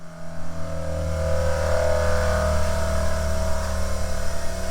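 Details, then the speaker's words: Cheap 900-baht bench grinder on a solid concrete post, balanced as well as it allows: steady low drone with a heavy buzzing shudder as it shuts down and passes through a vibration, judged not too bad. "Yeah, I'm very pleased with that. And here, as it shuts down, it goes through that vibration."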